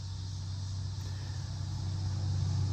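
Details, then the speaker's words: Early-2000s Buick on the highway: deep, steady droning howl that comes with engine torque, not speed, and stops off throttle; customer thought it was a wheel bearing, but a bad motor mount lets the engine twist and the exhaust ground. "notice that when you're going down the highway it's howling like that when he let off the foot feed it quit yeah well is torque dependent it's not speed dependent"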